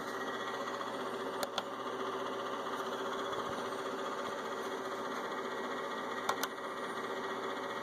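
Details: Inverter with only the left cooling fan on: steady whirring hum with a faint rattling buzz throughout, plus a few sharp clicks; noisy cooling fan.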